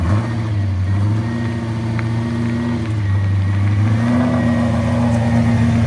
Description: for diagnosing misfire